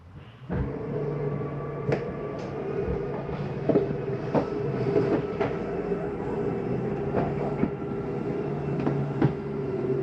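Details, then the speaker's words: Slide-out on a 2023 Jayco Eagle HT 30.5CKTS fifth wheel retracting: steady low motor hum with scattered clicks and knocks as the slide travels in; this noise is normal. "that noise is okay to hear that noise is a slide saying I'm all the way out sometimes do it coming in as well"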